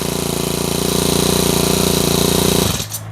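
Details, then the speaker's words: Normal four-stroke trimmer engine runs smooth and even with a steady firing beat, then shuts off cleanly. "ถือว่าเป็นเครื่องที่ปกตินะครับจะต้องสตาร์ทติดง่ายชิลๆแบบนี้นะครับ"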